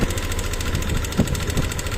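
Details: Yamaha NMAX V2 scooter idling with a loose, marble-like rattle ticking over the steady engine note; cause not pinned down yet.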